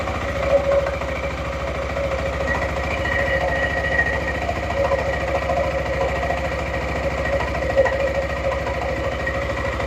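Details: Suzuki Burgman 400 (2007-2017) after belt replacement and CVT maintenance: even engine idle under light metallic ringing as clutch shoes touch the bell housing; normal, quieter running, nothing wrong.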